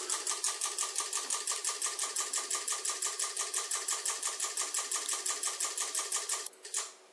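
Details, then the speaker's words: Mackie SRM450v2 powered speaker amplifier, bench supply current limit set to 3 A, signal generator driving it: sharp, even clicks about three a second that suddenly stop, amp drawing overcurrent and hitting limit; fault also blows mains fuse. "you can see it was just clicking just then and now it's stopped"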